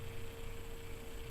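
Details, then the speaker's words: Free garage-sale 1500-watt oscillating ceramic tower heater after cleaning out dust, set to high heat: quiet, steady mid-pitched fan whir with no rubbing or ticking; fan spins freely, blowing good heat, some dust burning off. "let's crank it right up high and the fan must be whirring I can I can feel the air oh yeah see the fans working it great that's working really good"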